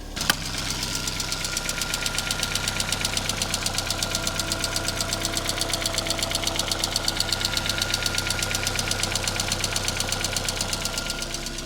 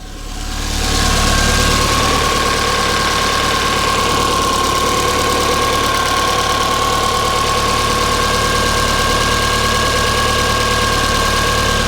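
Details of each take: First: MK1 Ford Fiesta before its Zetec engine swap: sharp, regular metallic tapping about two per second over an even idle; internal engine knock, cause not pinned down. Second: Mk1 Ford Fiesta after swap to a Zetec engine, coil wires corrected: smooth, steady idle with even mechanical hum and faint constant whine, no knock or misfire; much quieter than the previous engine.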